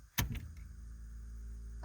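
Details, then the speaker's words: 1989 Camaro IROC TPI with code 54 (low fuel pump relay circuit voltage) and long cold cranking: after the relay circuit was repinned, key-on gives a click and a low steady buzz as the fuel pump primes normally. "Hear that buzzing noise? That's the fuel pump. So the fuel pump does prime whenever you turn the key on now."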